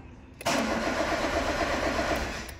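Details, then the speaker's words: Peugeot 206 (about 2008) that won't start, starter spinning the engine steadily about two seconds without catching; no correct crankshaft sensor signal on the oscilloscope while cranking, sensor suspected faulty but not confirmed. "se me dio nueve pero no tenemos una lectura correcta del sensor se escape por lo tanto es posible que este sensor no esté trabajando no esté trabajando bien"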